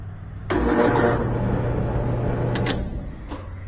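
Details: Used dryer at start: a steady low electrical hum that fades with no tumbling, drive motor stalling; owner reports it tumbles a few minutes then quits, motor judged shot (cause unknown), to be replaced with a used motor.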